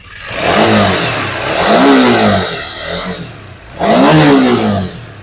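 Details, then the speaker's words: Honda CB150R (LED model) with leaking radiator and overheating, before major service: rough, clattery revs rising and falling with throttle and harsh metallic edge throughout. "jadi suaranya itu e Kasar banget pokoknya di telinga tuh gak nyaman suaranya kasar radiatornya bocor overheat juga"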